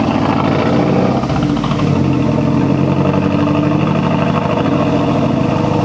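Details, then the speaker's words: 2006 Mazdaspeed 6 after hitting 2-step, owner suspects a blown coil pack: loud lumpy idle with stumbling beat and dropouts, engine shaking; bad misfire at idle. "I don't know if you can tell there, but there's like a misfire, like a pretty bad one. Yeah, even the engine was doing one of these jobs."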